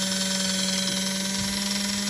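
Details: 1946 postwar Flyer model train chassis motor on about 12–13 volts: smooth steady hum with clean whir, no ticking or pitch wavering; motor running strong and healthy.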